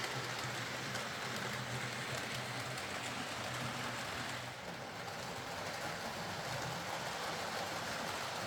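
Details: Hornby R.372 Class A4 "Seagull" model locomotive, tender drive, running after repair: soft, even whirr with light steady rail clatter, no stalls or surges. Stop-start running was likely from too much axle oil spoiling electrical pickup; the mystery noise was traced to the valve-gear parts. Runs fine and quiet.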